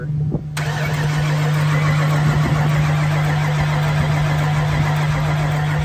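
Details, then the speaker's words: 1993 Ford F-350 crew cab long bed, 460 V8, first start after sitting over 10 years, with new fluids, battery and gas and a new starter solenoid, jump-started: it catches cleanly and settles into a steady low idle with no smoke or stumbling. "Yep. Got her going. No smoke or anything."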